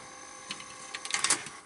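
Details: Sanyo Betacord VTC-1000 Betamax recorder during service, tape unlaced; light steady whir with faint high tone and small clicks as the reels spin freely: normal fast forward.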